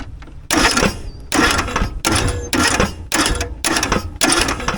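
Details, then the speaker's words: John Deere riding mower's original engine, run with no oil, smoking and losing power, cranks fast and even in repeated bursts with no compression resistance or labouring beat; compression test reached only 40 psi, engine worn out. "Just cranks. It's like nothing's fighting this engine. It spins no problem."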